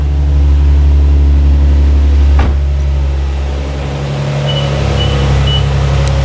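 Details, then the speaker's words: Infiniti G35 coupe idling after owner's first oil change; steady even engine hum with no knocks or ticks, runs over 30 seconds with no leaks, sounds good. "no leaks she sounds good and uh that was a success"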